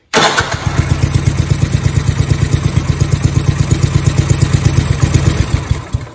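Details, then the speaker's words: 1971 John Deere 110 after crank seal replacement: fires up quickly and chugs at an even beat, about three pulses a second, then shuts down cleanly; earlier knock-like noise came from the worn crank seal rotating, now gone. "okay so you notice how that went away that seal was rotating in there that explains what that noise was"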